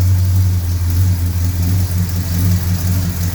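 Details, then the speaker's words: Mopar V8 with headers after exhaust gaskets redone and header leak welded: deep even rumble rising smoothly with revs, no ticking or puffing at the headers; weld not blowing, much quieter, normal exhaust note. "that's brilliant absolutely brilliant superb well chopped nothing blowing down there at all"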